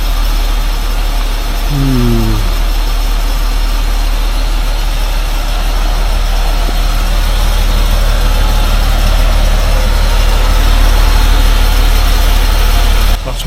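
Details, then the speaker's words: 1947 Dodge six-cylinder, warming up after fuel-supply and hard-starting problems and carburettor cleaning: even, steady low idle with soft regular beat near three per second, no misses; runs smooth, choke linkage problem suspected. "we like to hear the smooth per of that six-cylinder Dodge engine"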